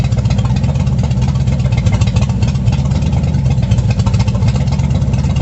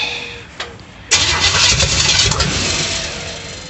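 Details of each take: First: 350 V8 in a 1937 Dodge Brothers, first start after correcting firing order: strong steady rumble, quick rev blip, then clean shutdown; timing unverified, idle a little low, carburetor unadjusted, runs healthy. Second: 350 V8 in a 1937 Dodge Brothers, first start attempt with fuel squirted in: brief quiet crank, then ragged uneven catch and sputter, never idling; distributor 180 degrees out, wired by Ford rotation, no vacuum line to distributor, firing order doubted.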